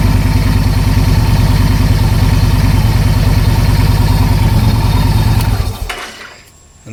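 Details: 2009 Victory Vision V-twin, started using the clutch as a workaround for the neutral no-start issue: a steady, lumpy idle at an even beat, then switched off and dies away cleanly. Sounds healthy.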